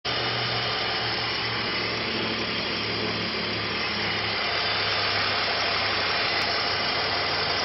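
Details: BMW 330ci E46 at idle with oil filler cap removed: steady idle under a loud hiss with a faint uneven beat about three per second; abnormal engine noise, cause unknown.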